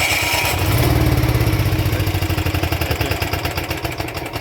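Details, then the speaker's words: Onan MicroQuiet 4000 RV generator with new carburetor, warm, runs fine but won't restart after shutdown: cranks about three pulses a second, loping unevenly, never catching; flashes fault code 14. "i don't see any flashy lights it'll give you a three code let me crank it longer"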